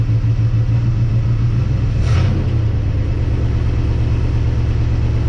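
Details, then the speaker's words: 1958 Dodge Coronet Lancer V8, barn find sat 30 years, at idle with idle lowered and choke open; lumpy uneven rumble with stumble about twice a second; owner convinced not running on eight cylinders, some plug wires intermittent on timing light; cause unconfirmed. "I'm definitely convinced it's not running on eight cylinders"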